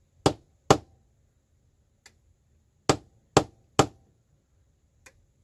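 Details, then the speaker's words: Original Clapper sound-activated switch, repaired, set to low sensitivity with two lamps; sharp hand claps each followed by a faint relay click, toggling properly; normal operation. "It works. And now it's not going to false trigger off dog footprints as much."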